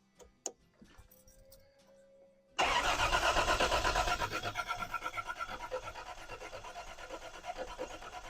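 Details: Neglected Toyota 4Runner revived, first start after work, engine warm and smoking from spilled oil: cranks and catches, then uneven shaky idle with lumpy pulse about three a second; timing belt jumped a tooth, an extra noise, possibly a pulley.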